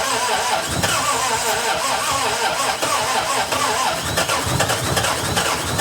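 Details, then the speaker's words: 1961 Triumph TR3A, barn find off the road since 1985, new high-torque starter, cranking with throttle pressed: engine catches for a moment and revs up, then dies back to cranking; fires but won't keep running; battery found low. "I saw the RPM go."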